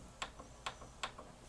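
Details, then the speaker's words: 1988 Yamaha CD-29 CD player, tray won't open; microphone inside unit, faint motor whirr with three sharp clicks about 0.4 s apart while tray barely moves, seems jammed. Slipping CD tray drive belt. "so i do hear a motor running so i'm hoping it's just a simple matter of popping a belt into it the strange thing is it's like it's jammed"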